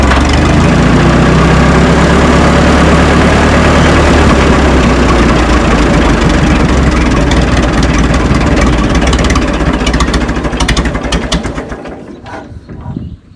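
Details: 1952 Minneapolis Moline G tractor, sat in a barn 10 years, first start after freeze damage; owner suspected a stuck float. Deep, steady, even thumping idle at about four beats a second, then it fades at shutdown; normal idle.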